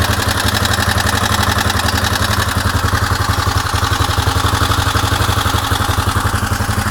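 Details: Suzuki DR750 single-cylinder engine at idle: steady idle with an even, fairly quick clatter on each beat; abnormal mechanical engine noise, cause not confirmed.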